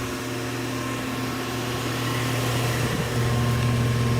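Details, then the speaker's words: 2-ton 2016 Rheem Classic condenser at startup: loud steady low hum with droning buzz, louder than before; owner thinks the fan motor is starting to fail, and suction line barely cold. "As you can hear, it's pretty loud now. The motor's gotten louder, which I think it's failing now. The motor is starting to fail on it."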